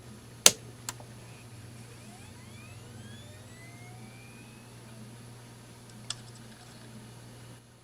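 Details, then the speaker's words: Old hard drive spinning up, recorded close to the mic: a click, then a soft whine rising smoothly in pitch over about three seconds and settling. The drive sounds perfectly normal. "the drive sounds perfectly normal right now"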